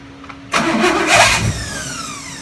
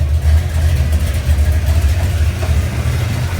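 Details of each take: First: 1970 Chevelle 454 V8, first-ever start during cam break-in: short crank, then catches sharply into a rough fast idle; wouldn't start because distributor timing was set far off, rotated back slightly and it fired, timing now close. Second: 1970 Chevelle 454 V8, cold start after oil change with additive and completed flat-tappet cam break-in: deep, loping idle holds steady and even, no tapping or misfire; normal idle, cam and lifters healthy.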